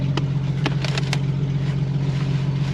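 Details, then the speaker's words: 1999 Jeep, auction purchase with check engine and airbag lights on, gives a deep, steady, loud, boomy drone at idle that sounds like it has no muffler; exhaust broken. "this thing sounds like you've got no Muffler bro this shit's broken"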